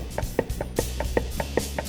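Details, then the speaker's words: Polaris RZR UTV wheel rocked side to side by hand, showing lots of play: quick, sharp clunks about five a second from a badly worn wheel bearing that needs replacing. "you can hear it this wheel bearing is absolutely toasted so it is most definitely time to change the wheel bearing"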